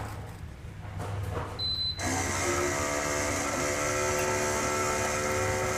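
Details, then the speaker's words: Bolde Smart Fountain Espresso digital water dispenser with no water flow: mini water pump to cooling kettle kicks on with a loud, steady buzzy hum and whirr far above normal; worn pump. "Kettle pendingin aman. Suaranya kenceng banget ya. Buset. Suaranya ngeri. Kok suaranya bisa sekencang itu ya?"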